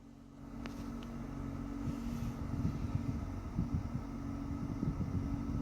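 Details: Toyota Mark X GRX130 air conditioning running; steady low hum with a fainter whine above it and light irregular rattles; abnormal air-conditioning noise, cause unclear.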